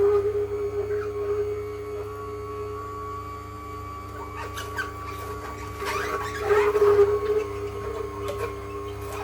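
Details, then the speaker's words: Ninja Cold Press masticating juicer juicing leafy greens, pomegranate and ginger: a steady high-pitched squeal rides over the motor hum as the auger squeaks loudly under load; avoid overloading the feed tube and leave space between pieces. "But, as you can hear, it does squeak quite loudly. You don't want to overload the tube."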